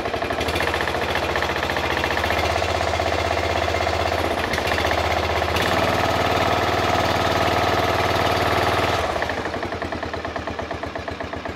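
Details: Briggs & Stratton Intek 16 hp single-cylinder OHV engine just started cold on choke after carburetor replacement: chugging low uneven idle with hard rhythmic knock on each firing stroke; pretty bad rod knock.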